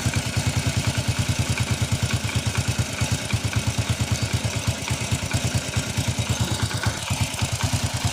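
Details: First-generation Honda Revo single-cylinder motorcycle idling after its clogged carburetor jet was cleaned: even, steady thump of about three beats a second, no stumbling; engine runs normally.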